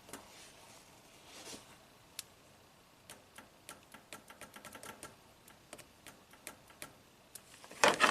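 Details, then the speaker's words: 2015 Toyota Camry 4-cylinder, 125k miles, U760E transmission, P2714 code: SL2 shift solenoid (6.3 ohms, pins 8 and 9) energised in bypass test gives crisp clean clicks, same brightness, no buzz; solenoid working normally. "Yes, nice click, same brightness. So 6.3 ohms. Clicks."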